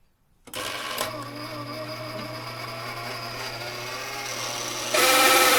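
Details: Hammond M101 organ tone generator, unplayed for many years, started after oiling: motor spins up to a steady hum with a rough mechanical whir; suspected bad bearing, not confirmed.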